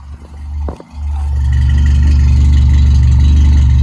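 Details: Toyota AE86 (Sr5) on a new FlowMaster exhaust: after a brief start-up stumble, a deep, even exhaust rumble settles into a steady idle with no misses; engine idles cleanly.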